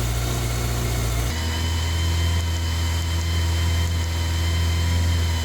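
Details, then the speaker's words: 2001 Kawasaki ZR750, older bike with a decent amount of miles, test start after heated grips and Oxford hand guards fitted: even, steady four-cylinder idle with smooth hum, settling slightly lower, no ticks or misfires; normal healthy idle. "Let's give it a test. So the moment of truth, ticking over."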